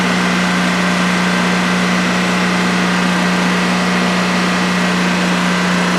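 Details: DuroMax XP15000HX generator in a shed, on its second start after setup, running on propane with the exhaust fan not on: an even, unbroken drone around a steady low note with no knocks, misses or surging over a 5-minute test. Normal idle.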